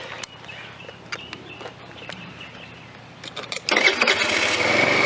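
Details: Scooter being readied for the road, after a plug wire that was getting hot was switched: starter cranks with faint ticking, then the engine catches and settles into a fast, steady buzzing run; it starts and runs.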